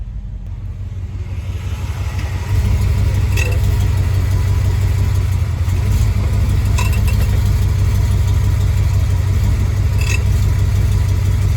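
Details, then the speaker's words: BMW X5 E53 4.8iS idling, shifting from R to D: sharp metallic clunks about every three seconds. The owner suspects the driveshaft U-joint, which failed before, and has bought a new one. "вот такой вот звук у меня при положении на крестовину я уже купила на меня посмотрим поможет или нет"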